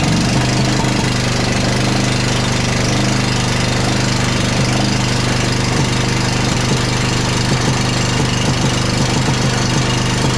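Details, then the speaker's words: Rough running with knocking on a John Deere Z335E zero-turn mower, started on starting fluid after a wiring harness no-start, dirty air filter: uneven, lumpy idle with a clanking knock three or four times a second; mice damage found, cause unconfirmed. "Definitely sounds like we have more issues than just the wiring harness."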